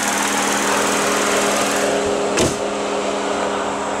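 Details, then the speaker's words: 2008 Lexus IS with 2.5 L V6 at idle, hood open: light quick even ticking about four per second over smooth idle; normal direct injection ticking. "You can hear the direct injection ticking away back"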